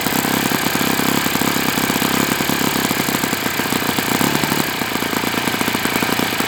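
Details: Enya 46-4C four-stroke model engine on a test stand, 11.5 prop, air bleed opened 1/4 turn: fast, rattly buzz with a harsh metallic edge at steady revs; owner suspects worn bearings, unproven.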